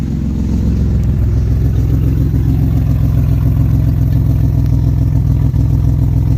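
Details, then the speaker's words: Maserati Biturbo first start with a new custom 2.5-inch exhaust only tack welded: a loud, raw, deep rumble with a fast puffing beat from bad exhaust leaks at the joints, not the final sound. "So, most of the noise is actually coming from right in here. Right now, it's the exhaust leaks are so bad."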